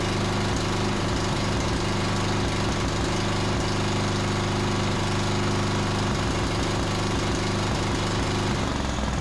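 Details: John Deere D110 riding mower single-cylinder engine after regapping the spark plug to 0.030 in, tightening it, and richening the cap-limited carburetor about a quarter turn: it runs steady and even at constant speed with no misses or stumbles, healthy.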